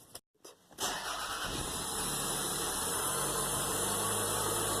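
Quiet moment, then the engine catches at once and settles into a smooth, steady idle with no squeal or chirp; healthy start.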